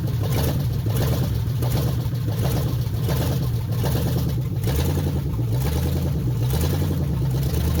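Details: 1969 Chrysler 300 V8 refired with temporary carburetor setup, open exhaust manifolds, no mufflers, 70 psi oil pressure: loud uneven lope, heavy low rumble, slightly lazy; owner suspects slightly retarded timing or just open-manifold sound.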